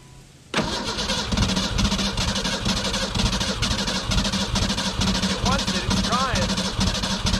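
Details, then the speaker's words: 1991 Ford Ranger STX, abandoned for years: steady rhythmic cranking without catching after ether ran out; no fuel pressure suspected, Schrader valve on rail pushing lots of air, air in fuel lines, crank no start. "fuel pressure i'm not convinced we're getting any fuel pressure up here so i'm going to go ahead and push this schrader valve on the rail"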